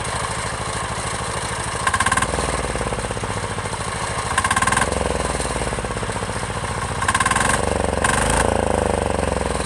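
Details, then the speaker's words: Chinese 10 hp Yanmar-clone single-cylinder diesel on its first start, freshly mounted to a frame, chugging at about four beats a second with some clatter and a few short revs; runs smoky but smooth and healthy, though it vibrates the rear fenders. "all right guys look how low smooth this is super smooth everything is working good"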